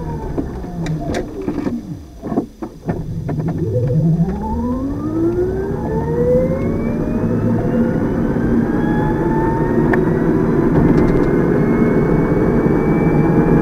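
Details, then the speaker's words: Electric car conversion with custom controller, recorded in-cabin while driving, battery near full at 462 V, after start code revisions: motor whine climbs smoothly from standstill with no stutter at the sensored-to-sensorless changeover; near-factory start, tiny initial shake blamed on motor/shaft play. "basically I would call that more or less a factory start there's a tiny tiny tiny little bit of shake when I first get starting"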